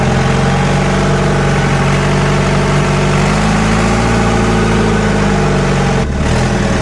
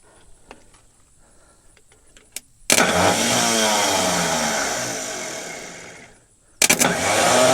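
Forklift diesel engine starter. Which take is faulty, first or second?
second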